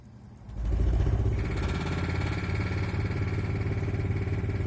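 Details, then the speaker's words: Trailer air conditioner/heat pump running on low, then high, after condenser fan blades were cut down for balance; steady low hum with uneven rattly clatter persisting on both speeds. The fan is out of balance and misaligned, striking its shroud. "it's on low it is making some clatter and some noise okay now if I move too high yeah it's still making fair amount of clatter all right so I think it's gonna need a little more balance"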